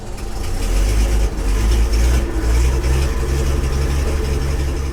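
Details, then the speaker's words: 1966 Ford F500, barn-stored 20 years: big engine running with a deep, steady low rumble and only mild unevenness; fires up and keeps running fine. "oh gosh all right everybody it is running you probably can't you probably can't hear us over all the [Music] noise"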